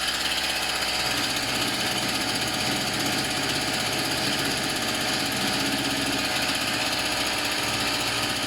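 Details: Tanaka THT 210B hedge cutter two-stroke after a carburettor strip and clean, diaphragms checked; it was slow to start on choke. Now a high, even buzz holding steady speed with no stumbling or surging; normal running.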